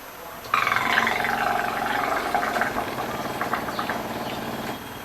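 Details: Brastemp BWG11 washing machine filling with water: steady buzzing hum about four seconds while water is fed, then stops; noise at water intake, inlet valve suspected.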